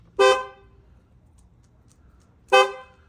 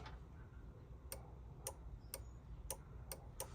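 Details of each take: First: Opel Corsa D horn after repair, following a non-working horn with suspected burnt contacts; the old horns were cleaned and refitted. Two short, loud, clear honks with quiet between them; the horn sounds strong and full, working properly. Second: Opel Corsa D horn circuit test with steering-wheel airbag removed: six sharp, uneven relay clicks over low hum and no horn tone; the relay and a test lamp work but the horns themselves are dead.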